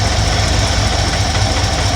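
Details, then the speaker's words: 1971 Ford F100, 302 small-block V8: the left-side idle mixture screw is turned right (leaner) until the engine runs rough. Low, uneven, loping, stumbling idle with irregular pulses from a lean idle mixture. "so what you're gonna want to do and you're gonna want to turn it to the right and which that is lessening the fuel mixture leaning it out until the engine starts running rough"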